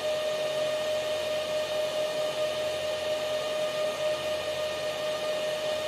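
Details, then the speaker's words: Antminer L3+ Scrypt ASIC miner, a little over five minutes after startup at full hashrate, factory fans on factory settings at 3700 rpm: loud constant rushing fan roar with a steady mid-pitched tone. "this is the noise you get from the the factory settings of the miner itself using the factory uh [Music] fans right now at the moment the fans are running at 3 700 rpm"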